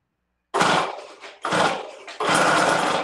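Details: Stihl TS500i two-stroke cut-off saw, flooded at an estate sale, after a no-start repair with new parts, primed and ignition on: three sharp firing bursts as it catches, then a steady run. It starts and runs normally.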